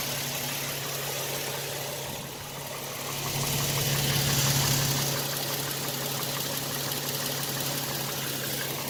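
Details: 2007 Toyota Tacoma TRD Sport 4.0 L 1GR-FE with 239,000 miles at idle, light even ticking knock about three per second, unchanged since 180,000 miles; owner suspects piston slap.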